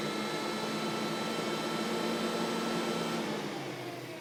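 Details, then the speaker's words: 1977 Camaro Z28 cooling fans on a newly installed replacement soft-start fan controller, triggered through the auxiliary input: fans whir up with a steady high-pitched squeal over an even airflow rush, then wind down. Normal for this controller, unlike the faulty unit. "all right so i can hear the difference now on these fans you can probably hear it too when they spin up it has that high-pitched squeal it says on the instructions that it might do that"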